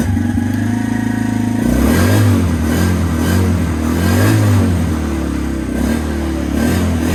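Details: 2017 Suzuki QuadSport Z90 90cc four-stroke, after carburetor clean, fuel drain and fresh fuel, old spark plug in: catches and runs on with steady pulses and gentle throttle rises; normal running.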